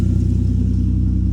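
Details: Lexus IS300 right after engine swap, running with no exhaust fitted: loud, steady low idle with an even unbroken pulse, no misses, knocks or ticks, no check engine light; normal idle.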